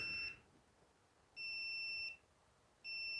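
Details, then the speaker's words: Multimeter continuity test on the two center terminals of a John Deere LA145-type switch: clean high beeps about three-quarters of a second each, repeating every second and a half. Continuity beep, switch good. "switch is good. Now just one more thing for you to note."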